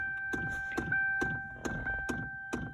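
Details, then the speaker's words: Donor car, just delivered, battery just installed, engine off at key-on. Steady electric whir with soft rhythmic thump about twice a second; owner guesses a fan, source unconfirmed. "what the hell is that that's got to be a fan or something"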